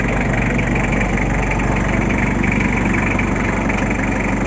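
Loud engine running steady with a rough, uneven pulse laid over the idle; some noise is present, but its cause can't be pinned down.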